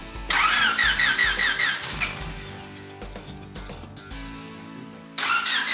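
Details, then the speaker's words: Turbo Honda D16 EK Civic enduro race car, static testing before first drive: a few seconds of choppy cranking, then the engine catches and fires cleanly on the first try; it starts and runs. "It starts. Yeah, it starts, runs."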